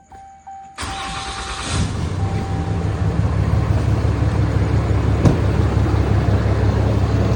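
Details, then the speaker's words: 2021 Ram 2500 Cummins diesel at idle after start-up, heard from behind the grille: low steady growl over the idle; fan clutch visibly wobbling and belt wandering on the pulley, worn fan clutch. "Now, I noticed the noise mostly from right behind the grill. And uh So, I started looking at all the pulleys. And I noticed See that fan clutch wobbling?"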